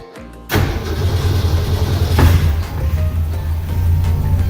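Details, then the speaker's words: 1962 Ford Falcon V8 after Holley Sniper 1100 EFI swap, first start with vacuum advance on new line: brief crank, then deep, even loping idle, music faint; starts and runs healthy. "Like butter. Wow. It's alive."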